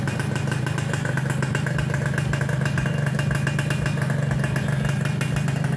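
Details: Suzuki Satria Hiu two-stroke after reassembling kick-start shaft and spring and filling 1 liter plus 50 ml oil: quick steady putter at constant pace, no dropouts or rattles; smooth healthy idle.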